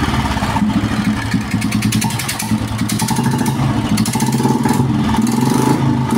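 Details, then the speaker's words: 2013-ish Royal Enfield Bullet single-cylinder idling: sharp puffing chuff on each firing stroke at the cylinder head, compression leaking past the head gasket, causing hard starting and poor mileage; engine to be dismantled, rocker rod damage. "Compression sound பாருங்க இந்த இடத்துக்கு leakage ஆகுதா நல்லா தெரியும் compression வந்து அதனால வந்து நமக்கு ஸ்டார்ட் ஆகாது இருக்காது மைலேஜ் இருக்காது எதுவுமே இருக்காது"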